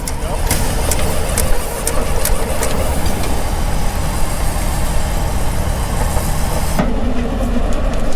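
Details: Caterpillar Gasoline Fifty tractor #5A1056, in gear on steel tracks during a ride along: light regular ticks about twice a second over the lumpy, slow-running engine, the magneto clicking normally.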